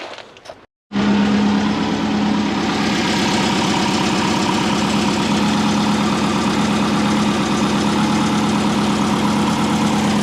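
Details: Built turbo Subaru Forester after fitting a new oil fitting and refilling oil to fix a leak: after a brief quiet moment the engine settles into a smooth, even idle with a steady beat and no knocks or rattles.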